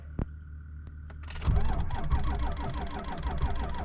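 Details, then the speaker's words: 2002 Ford F-250, 7.3 L Powerstroke diesel, restarting after a repair: starter drags slowly and heavily, about four compressions a second, not catching; owner had only one battery connected and says these trucks need two batteries to crank well. "apparently these things need two batteries to crank over very good"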